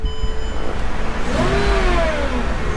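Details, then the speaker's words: Auction car, about 85,000 miles, prior lease, bigger engine, cold start: wavering whine over the engine right after firing up, fading within seconds and then quiet; suspected idler or pulley noise, not confirmed. "All right, when that first fired up, there was some kind of idler noise or pulley noise. It's quiet now, I don't hear any of that."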